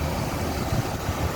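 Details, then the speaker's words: 1979 Lincoln Continental Mark V, 400 V8, hood open at engine bay, A/C compressor running and blowing cold; deep, steady idle with even unbroken beat, no knocks or misses; normal idle. "that smooth running 400 again ac compressor up on the top it does blow cold"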